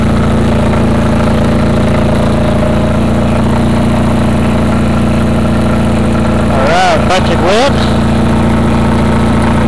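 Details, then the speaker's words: Craftsman GT6000 mower on its first test mow after the deck lift eyelet bolt was welded; steady, even engine drone at constant speed with no knocks or misses; normal running. "Sounds good. Except for a little bow."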